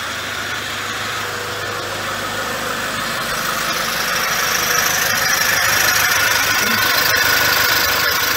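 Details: 2006 Toyota Hilux, 1KD-FTV diesel fully rebuilt after seizing: steady even idle with smooth airy hiss, no knocks or rattles; healthy. Later on a drive a turbo noise is noted; rotating assembly was not touched.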